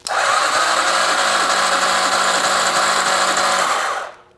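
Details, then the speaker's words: 2009 Arctic Cat DVX 300 ATV, long stored: steady starter whir for about four seconds on a 100 amp start, never catching or firing. No spark is found; the pickup coil, which has a broken connector, is suspected next. "Unfortunately, no spark. No spark at all. So, that's a bummer."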